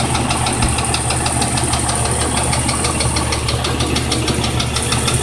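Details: 1997 Jeep Cherokee at a steady idle with a regular deep knock riding on it, roughly two per second. A worn rod bearing (rod knock) is suspected but not confirmed.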